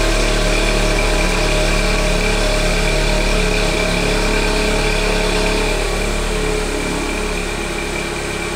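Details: VW Golf 6 1.4 TSI 122 hp, first cold start after the night; loud, deep exhaust rumble at raised cold idle with faint turbo whistle, normal catalytic converter heating lasting about 20-30 seconds before going quiet.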